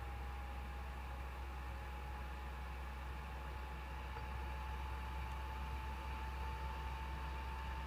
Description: My PS4's fans revving up nice and loud while the console is just sitting on the title screen of MGSV not doing anything!